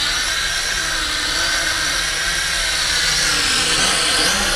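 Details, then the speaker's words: Hongwang HM7016 toy drone with detachable arms in flight: loud, steady high buzzing whine swelling slightly with throttle; flies nicely but noisy, normal operation. "it flies nice but it is noisy"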